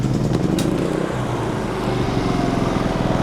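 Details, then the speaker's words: Generac GP3300i generator (model G0071532) after the repair: an ignition-circuit connector, found unplugged and unretained, was plugged in and secured. Restarted, it runs steady and even with a quick regular pulse, no misses; issue likely resolved. "okay so now I am willing to bet issue resolved"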